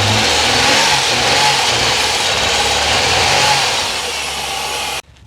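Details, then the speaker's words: Holden Commodore running on five cylinders: a rough, hissy exhaust note that stumbles unevenly as revs fall before shutting off. Number two cylinder runs cold, dead from a brand-new Chinese injector that isn't working; replacing with Bosch injectors. "number two cylinder is not working it will be the injector brand new injector it's not working Chinese injector"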